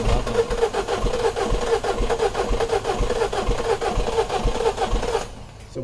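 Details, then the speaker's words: 2012 Mini Cooper 1.6 manual, new fuel pump already fitted: engine cranks evenly, about two pulses a second, but never starts; no fuel delivery, code for high-pressure fuel system pressure too low at cold start. "no fuel pump looks like we have no fuel pump there's no fuel in there"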